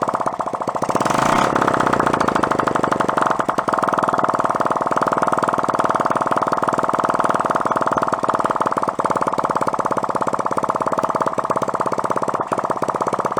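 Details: 1972 Honda CT70 Trail 70 stored ~20 years, run until out of gas: loud, crisp, steady popping at even fast idle; the little single runs smoothly with no misses.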